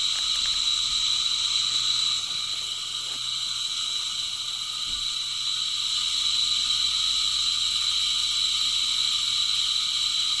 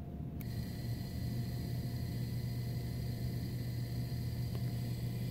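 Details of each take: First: Heil-type furnace draft inducer motor running free without its squirrel cage, steady high-pitched whine and hiss from the worn front bearing on the scroll-cage side, the one subject to most heat; bearing being replaced. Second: Heil furnace draft inducer motor after replacing the failed squirrel-cage-side bearing that squealed; now runs with a smooth, steady low hum and no squealing.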